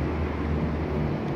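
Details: Honda CG 125 motorcycle that died on the street and would not restart, fixed by replacing a blown fuse. The small single settles into a steady, smooth low putter. Normal idle.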